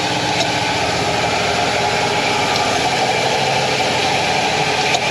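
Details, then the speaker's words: 2000 Ford F250 5.4L V8 (engine about 3 years old) after new injectors, spark plugs and ignition coils; ran rough at first, smooth after half an hour of driving. Steady, even idle, smooth unbroken hum, no stumble, knock or vibration: normal idle. "let me go start the engine up and you can hear how smooth it is okay okay so you can hear how smoothly it's running"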